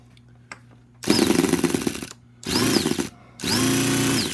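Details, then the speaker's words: Toyan FS-B400 model engine, after cam belt and starter belt tensioner setup: three short bursts of steady starter buzzing, spinning engine freely at even speed with no labouring or binding; quiet normal cranking. "this is great this is so quiet it doesn't strain the engine whatsoever you know I'll let you hear it again it doesn't strain it at all it just turns it right"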